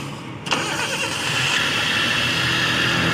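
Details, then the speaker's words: Suzuki Cultus EFI engine at startup: harsh metallic rattle and rising whirring from the front, metal-on-metal sound; traced to worn belt adjuster (tensioner) bearing, replaced with new bearing. "यह देखें बहुत ज्यादा आवाज है इसका कोई bearing आवाज कर रहा है वो अभी चेक करते हैं कौन सा बेरिंग आवाज कर रहा है"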